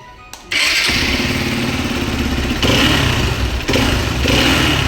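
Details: Hero XPulse 200 motorcycle, hot, after the clutch cover was opened and the balancer gear replaced with timing dots aligned: the engine catches at once and runs with an even throb, rising on blips, with music underneath; this is normal running.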